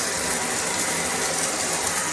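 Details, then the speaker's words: Triton electric shower after fixing an internal leak, shower head resealed, second switch-on attempt: steady, even hiss of water running freely with no sputtering; flowing normally, no more leaks. "Let's try again. And we have water. All nicely free flowing. And no more leaks."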